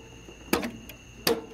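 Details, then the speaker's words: John Deere GT245 with a no-start fault (relays clicking) before starter and ignition module repair, key on: two crisp clunks about three quarters of a second apart over a faint electrical hum; the electric PTO clutch engages normally. "you can listen to the clutch oh i have to turn the key on oh you hear it"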